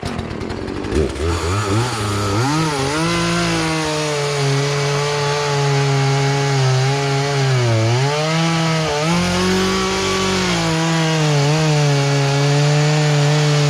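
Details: Poulan Pro two-stroke chainsaw, sat unused about three years, after carburetor adjustment, cutting small logs; high buzz picks up cleanly, bogs slightly in the cut, then recovers and holds steady; running properly.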